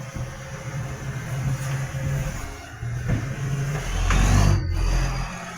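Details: Tweed garbage truck 3218 with a massive exhaust leak: a loud, raspy diesel rumble that swells and falls with the revs, with a chuffing edge to the exhaust note.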